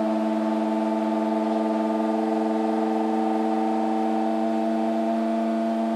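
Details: LG F1403RD washer-dryer running a timed night wash: loud, steady droning whine with a fixed siren-like pitch and no rhythm; cause unknown.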